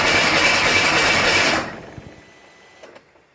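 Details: Buick Grand National on E85 with SD2 chip, no mass airflow sensor, TPS set to 0.42, 80 psi oil pressure built: starter whirs about a second and a half, no firing, then stops; cranks but won't start, no spark suspected.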